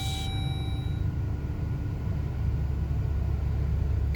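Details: 2011 Jeep Grand Cherokee WK2 after fixing a no-start/no-crank with code P0622 (generator field control circuit) by replacing the braided ground strap and clearing codes: even, low steady idle rumble with no knocks, misses or surges; sounds healthy.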